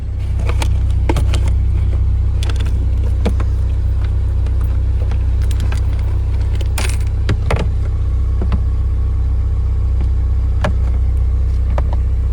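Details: High-mileage 2001 Toyota Celica GT four-cylinder after tune-up (new spark plugs torqued to 13 ft-lbs, coils refitted) and high-mileage oil change with engine quieting additive: deep, even idle at constant level with a few light clicks; normal idle.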